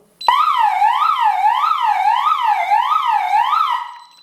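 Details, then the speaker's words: DSC alarm system test: loud electronic siren sweeping up and down about twice a second, panic alarm sounding after the panic button is pressed. "alarm sistemimiz ötmeye başladı"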